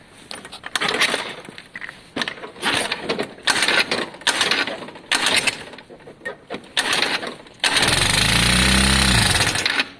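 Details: Lexmoto FMX 125cc on easy-start spray, with stale E10 fuel from long storage suspected. Several no-fire attempts, then it catches roughly for about two seconds and dies. Ignition timing is believed okay.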